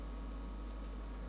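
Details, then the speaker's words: American Audio V1000 Plus power amplifier, old unit from a smoky room: a steady low buzz with a faint higher whine, unchanging, in the right channel. "It's the American Audio V1000 Plus. It has a slight buzz"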